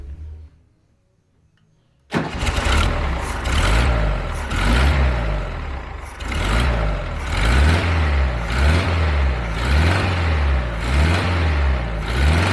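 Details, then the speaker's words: 1975 VW Fusca fitted with a new electronic ignition module replacing the points, with the old rotor and timing only roughly set: it catches on the first try and settles into a steady, even low idle with no problem. "e ainda bem que funciona o sem problema nenhum porque você não tiver passado uma vergonha terrível"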